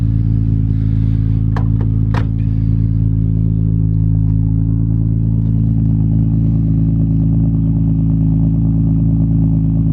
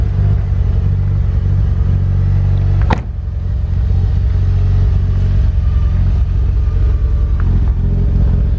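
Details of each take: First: Imported Nissan GT-R with RB26 straight-six engine, first running again in a while: deep, steady rumble with an even, unbroken beat and no knocks or ticks; healthy normal idle. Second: Imported Mitsubishi Evo, barely run, old fuel sitting in tank, no oil change in about 2 years: steady low idle rumble with slightly uneven, lumpy beat; owner thinks it sounds lean or maybe rich, unsure; rough running.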